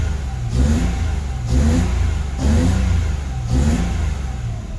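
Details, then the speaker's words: Mitsubishi Mirage warming up after a spark plug replacement cured hard starting; the owner had been told the fuel pump was at fault. Slow, even rev surges about once a second with no misfire or knock; healthy revving. "Okay umandar na siya. Papainitin muna natin mga tapos papatayin natin."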